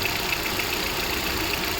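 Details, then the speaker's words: Hyundai i20 after replacing the AC compressor clutch pulley assembly, whose broken bearing caused a rough noise, plus a new alternator belt: quiet, smooth idle with a soft steady hiss, the earlier engine-bay noise gone. "Car को मैंने start कर दिया है। सुन सकते हो आप लोग। Clearly आवाज आ रहा है। साउंडलेस है। पहले वाला आवाज बंद हो चुका है।"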